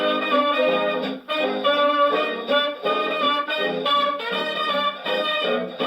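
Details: Early dark blue HMV 102 gramophone playing a jazz record through the horn; full, clear brass and vocals with no rattle or buzz, reproducer healthy; normal playback.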